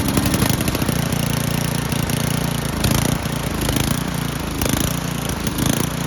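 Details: Old Toro 824 Power Throw snow blower, 8 hp Tecumseh single-cylinder, bought not running, old gas drained and inline filter added, primed; engine catches and settles into a steady, even chug with no misses; normal running.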